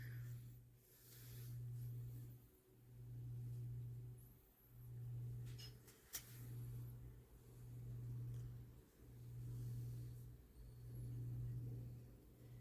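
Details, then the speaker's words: Lasko 9" desk fan model 2154 (1988-89) at low speed after oscillation gearbox fix with extra washer between motor assembly and neck bracket: even motor hum swelling and fading as the head sweeps, no slowing or straining; normal oscillation. "and the difference is already noticeable as I am not hearing the the fans slowing down or anything that can tell you that the fan is having a hard time turning around the anything"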